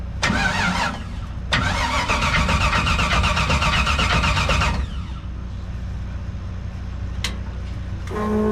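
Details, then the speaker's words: Figure-8 derby car with new starter fitted: harsh metallic grinding bursts about four times a second while cranking without catching, caused by damaged flex plate teeth. "yep that flex play has to go let's see if we can get it to start though"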